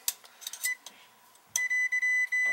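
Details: Oil-fired boiler tripping the panel breaker when the burner starts, continuity test on a circulator: probe clicks, then a solid high continuity beep with brief dropouts; circulator circuit shorted to ground, to be disconnected.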